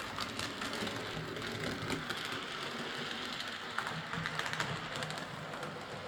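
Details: Model steam locomotive, previously massively overoiled, after cleaning, cylinder and valve gear fixes, new drawbar contacts and rerouted wires: an even whirr with fine rapid ticking of wheels and gears and no binding; it runs fine.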